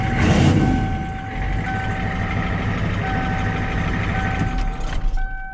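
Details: 1994 Ford F-250 7.3 IDI diesel with newly installed turbo, CAT injection pump, cold start without glow plugs (about 80°F, humid); steady even diesel idle clatter with a faint whistle on top, settling smoothly after the cold start, normal healthy idle.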